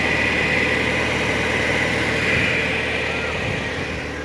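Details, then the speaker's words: Freshly rebuilt ZMZ Pro engine, all new parts, compression 11.5 in every cylinder, idling before break-in: even, steady, smooth low rumble with no knocking or ticking; runs clean. "Плита мотор, уже считай, как часы работают. Компрессия 11-де 5 бәрі. Законно."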